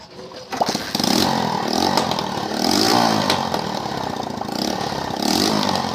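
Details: 70cc motorcycle (CD 70) after magneto coil check/replacement and spark plug gap corrected: starts on first try and settles into an even, buzzy run with a few light blips; engine runs fine.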